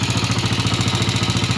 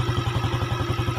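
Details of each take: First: Yamaha Jupiter (Robot/Salib), rebuilt two months earlier with an aftermarket block, before repair: coarse rattly pulse on every beat that worsens when hot, with light smoke. A loose aftermarket connecting rod with play is found. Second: Yamaha Jupiter (Robot/Salib), kick-started after an engine rebuild fitting a Mio connecting rod and piston: firm, even single-cylinder idle. Fuller than the weak sound before, as compression is now standard; healthy.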